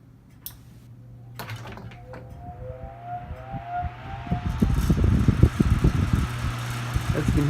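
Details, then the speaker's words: 1974 Kmart Lakewood K-10 10-inch single-speed tilting table fan with a Fasco motor and metal blade: a motor hum climbs as the blade spins up, then runs evenly with a light cage rattle. This is a normal start. "you can hear, the metal blade with the Fasco motor gives a rather nice start. And it runs just quite a bit together, albeit with a little bit of a cage rattle."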